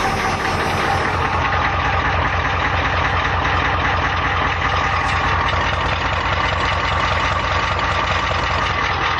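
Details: 1989 Ford F150 with 1986 6.9L diesel, C6 3-speed, 2.73 gears, 4-inch true dual stacks with resonators only, cold start at -12°C: loud, even idle clatter about 2.5 knocks per second, steady throughout; healthy cold idle.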